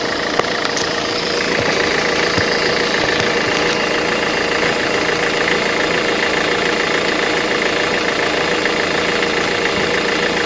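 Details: 2005 Mercedes-Benz Vito at idle with a sharp, regular tapping about 140 a minute. The oil pan was opened and the crankshaft and bearings look like new; the owner suspects an injector or a hydraulic lifter. Engine knock.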